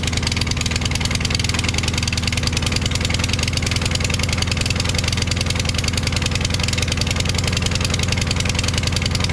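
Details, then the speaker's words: Craftsman push mower, Briggs 550EX engine, with replacement muffler: harsh, hollow exhaust note with uneven firing pulses, briefly sounding normal; rough running, cause unclear. "Did you see that second or so that it actually sounded normal? You know, I don't know what's wrong with that muffler I put on there. It sounds like it's hollow or something."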